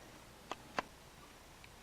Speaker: well folks it would appear as though we've had another hard drive failure but I don't know just yet uh but listen to this yay and that's all that I get out of it